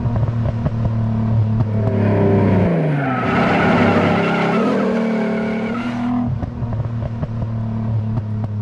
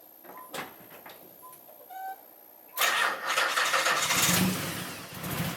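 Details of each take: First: 1991 Nissan 300ZX V6 after fixing the cut harness, shorted PTU and popped ignition coil: first start, idles steadily then revs cleanly up and down with no stumble or miss. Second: 1991 Nissan 300ZX V6 with an ignition misfire, during harness/PTU diagnosis: chimes, then the engine starts and runs rough and stumbling, worse than before.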